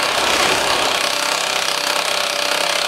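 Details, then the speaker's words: HP LaserJet 1020 Plus printer at power-on: harsh raspy grinding runs steadily for about three seconds, mostly caused by a worn gear assembly. "Type के आवाज करता है उसमें सिर्फ है जो मोस्टली गैर असेंबली की प्रॉब्लम होती है तभी यह प्रॉब्लम आती है"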